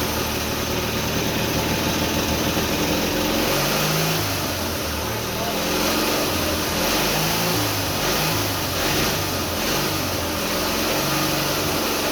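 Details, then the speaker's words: Briggs & Stratton twin-cylinder flathead on a mini bike, first start after carburetor rebuild, homemade black steel pipe exhaust: catches and revs up and down with the throttle, firing on both cylinders with no knock or miss; sounds healthy. "fired right up on both cylinders it seems like"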